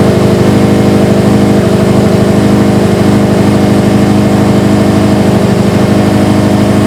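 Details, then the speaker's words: Subaru STI idling cold after installing a Torque Solution cylinder 4 cooling mod, warming up before burping the coolant system: steady, even low burble with no knocks, ticks or misses; healthy idle. "All right, time to fire it up. Let it warm up to temp, and we'll start burping the system."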